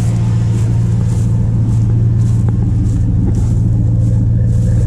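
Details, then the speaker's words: Dodge Ram truck engine idling after an oil change overdue by almost 3 years, fuel a little under half a tank, winter; deep steady low rumble with even pulse, no knocks or ticks, still sounds real good: normal idle. "yeah it still sounds real good still got a little under half a tank"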